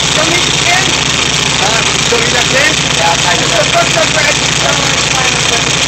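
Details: VW Type 3 1600 cc single-port engine, first start after rebuild: steady air-cooled flat-four idle, even fast patter with fan hiss on top, holding speed on its own; healthy normal idle.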